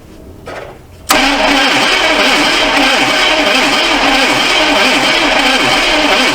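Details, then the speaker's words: Neglected 1982 Chevy Silverado C10 cranking: even labored whir about three and a half turns per second, no start; starter suspected failing, no fuel through carb, compression unchecked; weak cranking. "Starter sounds like it's going bad, but not got any fuel pumping through the carb, and compression."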